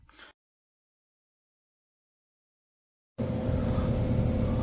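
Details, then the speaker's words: Whole-house humidifier after replacing the faulty 24 V electronic relay that caused intermittent operation: after a quiet gap, a steady even blower rush over a low hum with no buzzing or clicking; system fixed and running normally. "Right now, we can tell it's running now. This one is also hot now. So, it's fixed."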